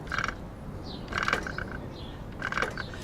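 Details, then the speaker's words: 2019 Haibike Sduro Trekking 7.0 e-bike bounced over bumps: short jangly rattling bursts from the motor area, stopping when pressure is applied to a pedal; loose part suspected, cause not confirmed. "basically when you bounce or divert bumps can you hear that"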